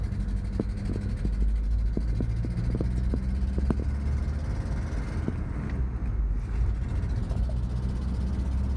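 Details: 1986 Mazda B2000 SE-5 driving under load on a test drive: loud, raw low rumble with sharp puffing ticks; horrendous exhaust leak.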